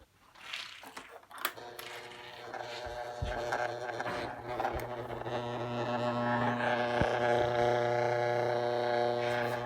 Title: [OH DANG IT!] Buzzing Noise On My Green Standard SSM 16